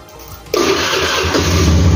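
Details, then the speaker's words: Honda Beat FI scooter, engine cold at 6 am, after swapping the NGK for a Brisk racing spark plug: a brief starter whirr, then it fires at once and settles into a steady idle. No hard-starting problem; normal cold start. "ya nggak ada masalah jadi kekuatiran untuk susah starter di pagi hari tidak terjadi ya jadi no problem"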